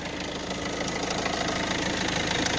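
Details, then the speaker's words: Citroën C5 1.6 HDi 110 diesel: light, fast metallic ticking over the clatter at start-up and idle, located near the injectors. Changing the injector seals made no difference; the owner suspects the timing chain. Cause not confirmed. "voilà c'est je ne sais pas si vous l'avez entendu c'est le premier petit cliquetis et quand on entend que l'on entend démarrage"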